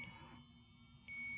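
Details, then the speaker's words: JB Industries LD-5000 Prowler refrigerant leak detector switching on: short high beeps then a steady high tone while bars count up to ten; normal warm-up before it is ready. "you'll hear the audible beeps which we can disengage by hitting the mute button you'll see the bars are counting up the unit is not ready to use until it's fully warmed up"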